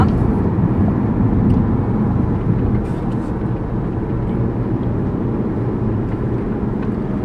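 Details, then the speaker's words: Toyota RAV4 heading for the highway after transmission swap to cure a shudder/vibration: even low road rumble at speed, no shudder, beat or thump; transmission sounds smooth and healthy. "but the cars running great so let's get to the highway and I'll hop on the highway so we can drive"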